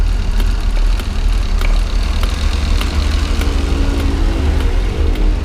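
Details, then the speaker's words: 1997 Suzuki Carry 1.0 with newly fitted aftermarket AC (Denso compressor from Xenia 1.0, blower), AC switched on after brief revving to warm up: steady low idle, even rumble, faint regular ticking, no compressor squeal or grinding; cools reasonably, working normally. "ini dingin teman-teman, lumayan. Untuk ukuran Motoba seperti ini, mau dingin yang maksimal seperti mobil-mobil baru, saya rasa tidak bisa teman-teman."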